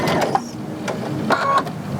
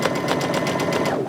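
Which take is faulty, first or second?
second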